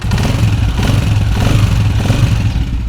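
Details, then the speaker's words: Honda CG125 single-cylinder after tightening the bolts and setting the tappets with a 0.08 gauge: a steady, even low beat with no top-end tapping, sounding like new instead of the earlier bad noise. "तो दोस्तों दोस्तों आप देख सकते हैं माशाल्लाह बाइक की आवाज़ बिल्कुल 0 मीटर की तरह हो चुकी"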